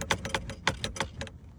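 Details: Toyota Camry dashboard rattle while driving: sharp, irregular plastic clicks and rattles over a low road rumble, typical of a loose dash panel.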